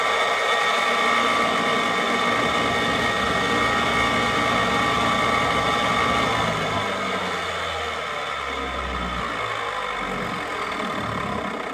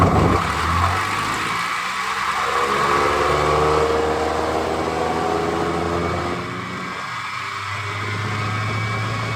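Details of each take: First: Rebuilt hardwood floor edge sander's motor, wires zip-tied clear of the armature, gives a steady, even drone with no rattle or knocking, easing slightly in level partway; normal running. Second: Rebuilt hardwood floor edge sander, hotwired on the bench before gear rework: loud motor roar with a pitched whine drifting up and down; gear noise under power, not as bad as expected, gear suspected.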